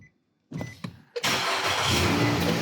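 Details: 2009 Nissan Altima that would not start, with code B2607 from the steering wheel lock assembly, after the lock sensor fix: a couple of clicks, a quick crank, then it catches and settles into a steady idle; it starts normally.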